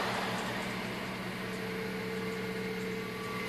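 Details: 2005 Mazda3 1.6 at cold start: quiet idle with a steady high whine over the hum, disappearing once the engine warms up; owner cannot identify the source of the strange noise.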